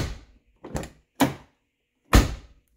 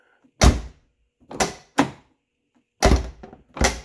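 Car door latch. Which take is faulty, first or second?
second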